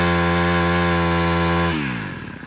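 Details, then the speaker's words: Used Honda GX25 four-stroke grass trimmer revving: clean steady high-pitched run, revs drop away smoothly with no rattle or knock; runs very quietly, no roughness when throttled up. "Thì nổ còn êm ru luôn. Ga lên thì chưa hề cọc cạc gì cả."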